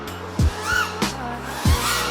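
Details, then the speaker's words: FPV 3D drone on prototype HQProps 3D propellers, Betaflight 4.2 default PIDs: each high-throttle punch brings a short rising high-pitched squeal over the motor roar that fades as throttle eases, the props squealing. "So the first 2 throttle bursts I had, like you could hear it like squeal."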